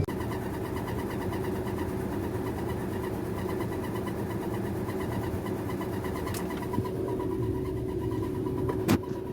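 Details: 2007 Nissan Armada: a steady rhythmic pulsing rasp over a constant drone that comes on under acceleration, grows louder with throttle and stops once the gas is released.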